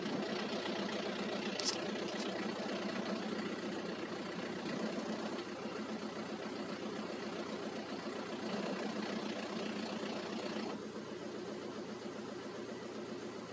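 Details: Manual gearbox after a clutch change, engine idling: a dense rattle and gritty grinding from the gearbox, present even in neutral; the cause is unconfirmed, with the slave cylinder or worn gearbox bearings suspected.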